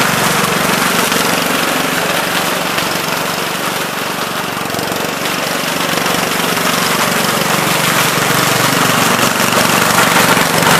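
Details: 1970 Gravely Commercial 8 garden tractor, 8 hp single-cylinder, revived after sitting a few years, still cold before warm-up: even putter at about three firings a second, no knocks or misses; running pretty decent, normal running.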